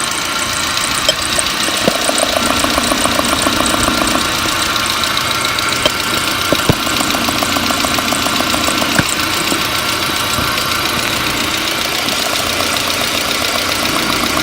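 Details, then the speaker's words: Four fuel injectors checked one by one with a stethoscope or screwdriver while the engine runs: crisp, evenly spaced ticking with a steady rhythm and no odd beats, all four healthy and consistent. "all four of these injectors are in good shape but let's go ahead and listen to all four so you can hear the consistency"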